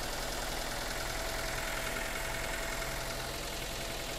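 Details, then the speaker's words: Cold morning start of a Daihatsu Xenia reported hard to start with long cranking: uneven, lumpy chuff about three times a second over a hissy background; rough idle, cause unconfirmed; coolant also low, overflowing into reservoir. "suaranya emang agak agak agak kasar dikit"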